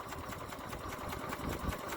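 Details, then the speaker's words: 1981 Westwood Gazelle W11 ride-on mower, tired low-compression engine warmed after winter storage: chugs slow and faintly uneven at idle, close to stalling; idle speed set too low. "it's on idle now probably just about to conk out maybe got the idol a touch low but yeah runs all right"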